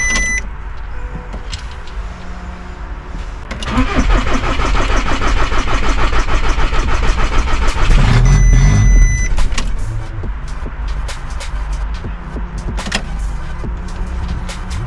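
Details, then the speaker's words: VW Caddy after 1.6 TDI to 2.0 CR140 engine swap and manual-to-DSG conversion, secondary fuel pump temporarily powered: starter churns about four seconds, then catches and settles to idle; long crank before start, cause unknown. "Absolutely lost for words. What I can't understand is why it cranks so much, honestly."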